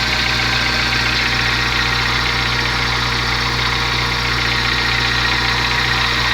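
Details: VW Gol G4 engine at idle: even idle with a busy, hissy high-pitched ticking riding over the engine, steady throughout; abnormal engine noise of unknown cause, owner asks what it means.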